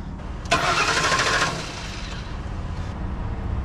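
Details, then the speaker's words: 2010 Ford E250 after its starter signal harness was repaired: the starter spins the engine steadily for about a second but it never fires. Crank, no start, no fuel pressure as the fuel pump isn't turning on; the cause was an open fuel pump relay ground. "we have crank no fuel so now we need to go down the rabbit hole of finding out why we have no fuel so we also have no fuel pressure see see it's not spewing out so the fuel pump is not turning on so no fuel pressure"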